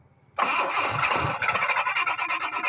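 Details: 1986 Jaguar XJ6, unstarted for two years: the starter churns with an even, quick beat but the engine never fires. Crank-no-start, with very low fuel pump pressure found and the pump being replaced.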